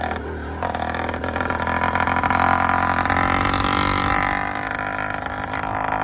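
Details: Yamaha YD100 two-stroke, first start after Dio reed valve, ported cylinder and self-windowed piston, untuned, phone in pocket: crisp buzz climbing and settling smoothly; starts easily, normal running.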